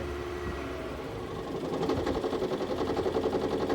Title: 2018 RAV4 HYBRID COLD START ENGINE KNOCK